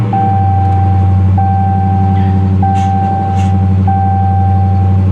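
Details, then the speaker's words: Repo car at Copart with 73,000 miles; catches and settles into steady even low rumble with door chime pinging, healthy idle. "she sounds good"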